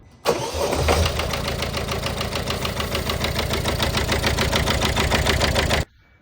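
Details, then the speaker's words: Citroen Dispatch 1.5 DV5 diesel at idle: fast rattly ticking from the top end, about three or four per second, worse from cold; worn cam-to-cam timing chain. "So, as I'm sure you've just heard, it's got a very noisy top end. This engine, it sounded even worse when I started it up from cold this morning."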